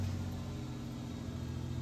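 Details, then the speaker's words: Older Ford Ranger with manual windows idling with the door-chime circuit board removed: low, steady rumble, no stumbles; truck still starts and runs normally without the board. "just out of curiosity i wanted to see if the truck would still start and run without the board it does"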